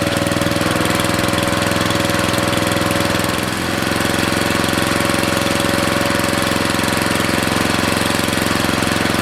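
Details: Briggs & Stratton 13.5 cast-iron-sleeve riding mower engine, rerun with air filter back on after suspected oil in cylinder from engine tilted on its side; steady even fast putter, no misses or knocks, smoke decreasing as it burns off; good running.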